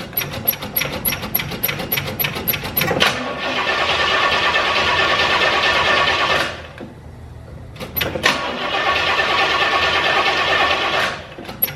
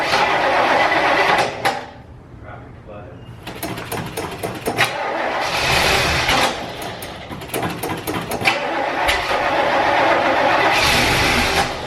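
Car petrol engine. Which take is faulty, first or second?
second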